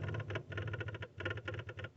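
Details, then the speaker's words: Skid steer fuel pump with a wire added as direct ground: quick pulsing electric buzz chattering about four times a second, pump runs; fault was a bad ground at the pump mounting bracket, not clogged fuel filters. "This is what we like to call a bad ground to the mounting bracket of the pump and or wherever the pump gets its ground from."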